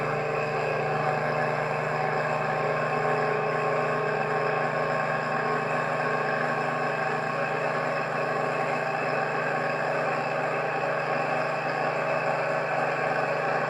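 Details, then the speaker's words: Rebalanced rotor drum cylinders with new center bearing on a test rig, motor resting on a table on rubber feet: steady, even hum at constant pitch, no wobble, beat or knocking, no vibration felt; normal balanced running. "that is really good I can't feel any vibration it's just nice sweet sound yeah I'm happy with that"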